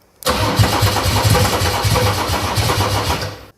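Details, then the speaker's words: Mercedes OM606 diesel with Ofgear pump control, cool weather: even rapid cranking about three seconds, never catches; no fuel yet, nearly started, fuel return not yet flowing. "Kütsi ei ole, noh. Juba peaaegu lubas, noh."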